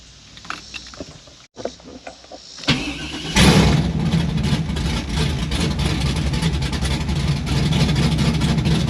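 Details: 1992 Firebird LS swap with Holley Terminator X, first start outside with temporary flex pipe, idle air screw possibly needing adjustment: starter cranks, V8 catches and settles into a loud, slightly uneven idle still needing tuning.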